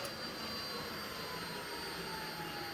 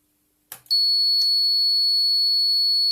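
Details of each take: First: Toyota Prius Gen 2/3 inverter and transaxle on OpenInverter FOC with the resolver offset at 0: a steady, thin electric whine as the motor spins on only 3 A of manual d-axis current, showing the resolver offset is wrong. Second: Toyota Prius Gen 2 inverter on the OpenInverter FOC system, heard through a small speaker on resolver pins 4 and 5 in run mode: clean, steady high whistle near 4 kHz for about 3.5 seconds; normal resolver excitation signal.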